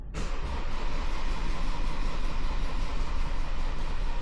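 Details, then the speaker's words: 2016 Ford Transit minibus, 2.2 diesel, after replacing a failed in-tank fuel pump and bleeding the fuel system: catches once rail pressure reaches about 120 bar, settling into a steady, even diesel run with no stumbling, a healthy start. "There we go. Just had enough puff in it. You can see that once that got to about 120 bar, then it properly kicked in and span over."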